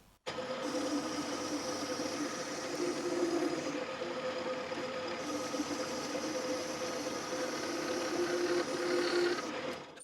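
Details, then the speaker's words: Boring the spindle body bearing bore for a Quorn Mk3 tool grinder kit with a straight 1/4 inch boring bar replacing a bent one that chattered: steady even cutting hiss, faint ring, no chatter; swarf coming off nicer, smooth cut. "Yeah, that's working a lot better. You can see the swarf coming off much nicer, and you can hear it's much better."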